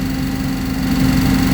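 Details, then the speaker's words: Reliant Supervan (early 2000s) petrol engine idling fast and unevenly with no choke and the fuel pump disconnected; a carburetor fault is suspected, and a vacuum leak is possible. "It is revving a bit high, so I'm guessing it's probably got a vacuum leak as well, maybe somewhere. I've got no choke on at all. That's just as it is. As you can hear, it does run,"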